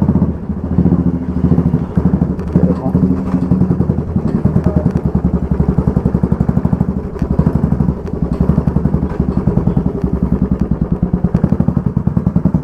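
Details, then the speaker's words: After a repair on the motorcycle rear wheel, hard sudden braking test: steady single-cylinder thump, no hammering khat-khat knock from rear hub that was present before repair; coupling quiet. "ये देखो एक एकदम से break मारो, कोई आवाज़ नहीं है। ऐसी बात, अब कहाँ से आवाज़ आएगी? देखो कोई आवाज़ नहीं है।"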